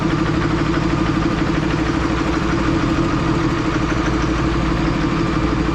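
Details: 3rd-gen diesel with new BD Diesel 90 hp injectors at idle: loud, rough idle with a hard, uneven knock about three per second, white smoke. Owner suspects overfueling; disabling injectors one at a time never stopped the smoke.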